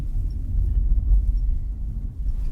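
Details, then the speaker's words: 2018–2019 Nissan Kicks on a road test after replacing front control arms; microphone on the floor. Only low road rumble and tyre thumps over rough patches, no knocks or clunks: front suspension now quiet. "vou deixar o microfone aqui no chão ver se vocês CONSEG ouvir tava batendo ah Zerou É isso mesmo"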